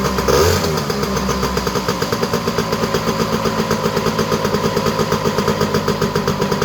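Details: Honda EZ90 Cub single-cylinder, first run after turning the fuel petcock to run: a steady, evenly firing putter at a slightly quick idle, no misses. High idle, with WD-40 burning off the exhaust pipe.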